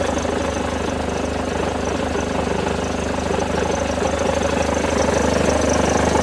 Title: Mercedes Benz W211 E200 Kompressor Engine Knocking Sound